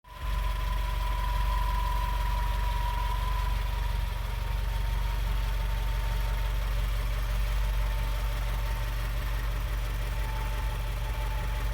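Low, even idle with a clear steady whine around mid pitch sitting on top, barely drifting over twelve seconds; source unknown.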